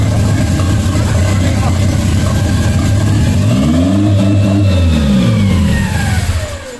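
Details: 1992 Toyota MR2 project car with an idle issue: idle sits high and won't drop, swells once then dies; with the throttle pushed fully closed the idle was fine, so the throttle plate isn't closing fully.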